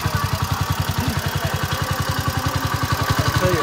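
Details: Detroit Diesel 8V71 in a Scenicruiser bus at a steady heavy idle, beating about 3.5 times a second with a lopsided rhythm; running down a cylinder, valve lash loose and uneven, needs a tune-up.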